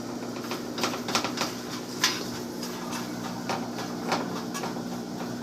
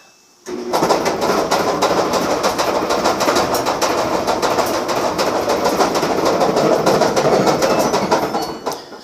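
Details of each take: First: Samsung dryer after replacing the bad bearing assembly and greasing the bearings: hand-spun drum gives a low even hum, nearly silent, with loose handling taps and clicks; drum bearing spinning freely. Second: Samsung dryer starting up: a loud, steady clickety rattle from a bad drum bearing assembly, whose rattling has also loosened and damaged the felt belt.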